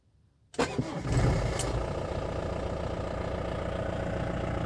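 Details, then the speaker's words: 2011 Mahindra Bolero SLX, 2.5 DI turbo diesel, about 82,000–83,000 km: brief crank, immediate catch, then a steady, loud, clattery idle with no misses or knocks; tractor-like noise. "एक बार engine की आवाज़ मुझे सुनने दो। यह बहुत ज्यादा है। ट्रैक्टर लगता है। लेकिन शक्ति भी ट्रैक्टर वही।"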